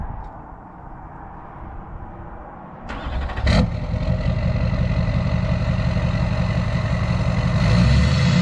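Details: Chevy Duramax LBZ diesel single cab after AirDog 165 GPH lift pump install and fuel filter fill: fires up and settles into deep steady rumble with even beat, no knocks; normal idle.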